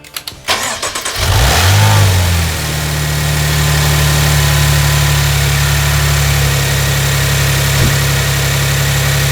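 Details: Maserati Ghibli SQ4 at 70K miles, functional test start after serpentine belt work. Brief crank, quick catch and a flare of revs, then it settles to a smooth, even idle with no squeal or chirp: normal start and idle.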